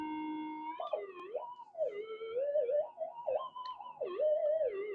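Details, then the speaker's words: Modified Minelab GPZ-7000 metal detector indoors: wavering, warbling tone that never settles as coil is moved; 50 Hz interference from house power cables. "and no matter what I do with it it's just going to make noise"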